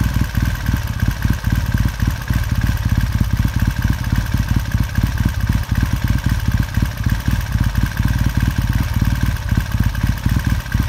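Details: 1969 Triumph T100C after rebuild, started cold on one kick: steady, even thumping idle with a quick firing rhythm, no knocks or rattles; normal healthy twin warming up cleanly.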